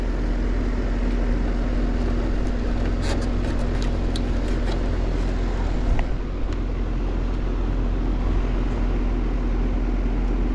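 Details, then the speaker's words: Outdoor unit of a 2010 R-410A split AC, about 12 years old, not cooling (set 67, reading 87): steady loud low hum, compressor never picks up speed even with a hard-start boost; locked-rotor stuck compressor. "pulling lock rotor I'm not sure has even worked to own out that compressor I don't think it is so we got us a stuck compressor"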